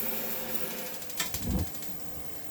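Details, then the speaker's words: BougeRV portable on-demand propane water heater: quick burst of sharp igniter ticks over running water as the burner relights when flow is turned back on; normal relight. "And you hear the clicking. It's because water was turned back on and the heating element turned back on."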